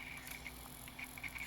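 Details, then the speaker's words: Old NEC-based CD-ROM drive (Intersect CDR-84) with a pressed factory CD: faint high spindle whine with brief chirps as it starts to race, then instantly corrects back to speed; normal spindle behavior, the fault seems tied to CD-Rs. "that's how that's normal that's what it's supposed to do they wanted to race out of control but it caught itself instantly"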